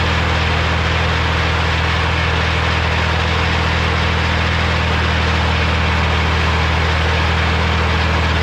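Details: Morra F25-6 disc mower on tractor, test run after bearing repair: steady deep drone with smooth even hum, no knocking or metal clatter; success, only occasional slight touching, possibly the shield.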